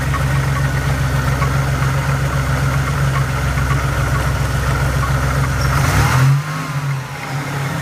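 Steady idle with a faint regular tapping about three to four per second, then a brief rev; possible knock, cause unclear.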